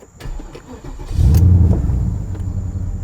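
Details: 2006 Porsche Cayenne S 955, 4.5L V8, starting after the EVAP purge valve was replaced and code P0441 cleared: short crank, then it catches cleanly and settles into a smooth, even low rumble; starts normally.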